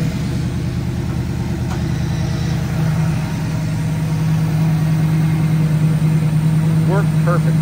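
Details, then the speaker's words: 1967 Chevrolet Camaro RS, V8, idling: deep even burble about three beats a second, strong and steady, no ticks or stumbles; healthy idle, heard at the rear mufflers. "You hear that strong V8 just chugging away. Great sound though is coming out of these mufflers back here. It sounds fabulous."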